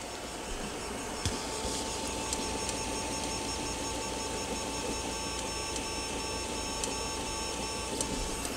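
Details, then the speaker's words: Tevo Tornado 3D printer after fitting flex-printed vibration dampers, printing a part with lots of movement: very quiet, soft axis motor hum and faint whirring under the computer fans' steady tone, about three times quieter; normal operation. "peux aussi vous l'entendez travailler mais elle est très silencieuse qu'on entend le plus c'est les ventilateurs de l'ordinateur pas tellement les mouvements des préventes"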